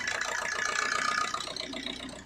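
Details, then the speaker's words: 2007 Suzuki Swift diesel, about 550,000 km, long cold cranking in the morning, misfire feel: about 1 minute after start idle races far too high, busy clatter; DTCs for fuel pressure regulator and intake air temperature. "Engine के idol RPM देखो बहुत ही high है। आवाज से ही समझता है।"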